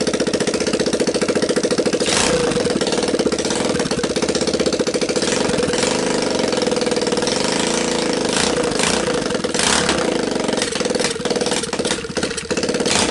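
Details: Linhai Talon 300 4x4 ATV engine on bench outside the frame, freed after appearing seized, PZ27 carb taped to intake, 12VDC CDI, choke on, first start: quick, even single-cylinder putter at steady speed, no knocks or rattles; runs well, no bad noises.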